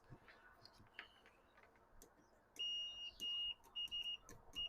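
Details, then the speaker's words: Macintosh LCII power supply board: faint probe clicks, then a steady high multimeter continuity beep in short repeated bursts; the fuse is intact. "Yep, we got the fuse is intact."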